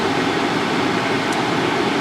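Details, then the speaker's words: 2019 Subaru Forester climate blower at maximum fan speed, heard in the cabin: steady loud rush of air with no tone, rattle or pulsing, like the back of a 747 jet engine; normal, only noisy. "If you turn this up all the way, it's loud. Sounds like I'm on the back end of a 747 jumbo jet engine."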